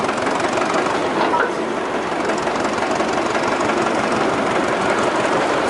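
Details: 1926 Twin City gas engine in a Northwest 105 dragline: old engine chugs with a heavy, repeated metallic knock about three per second, a worn connecting rod bearing needing repair before it breaks the block.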